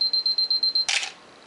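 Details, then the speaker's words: Canon AE-1 Program with 50mm FD f/1.8 lens on self-timer: string of quick high beeps speeding up, ending in one crisp shutter snap with no drag; self-timer and shutter working normally. "We can set this on the lock position or the self-timer position, in which case when we push this, we hear the camera beeping, counting down, and when it starts to speed up the beeps, it's getting close."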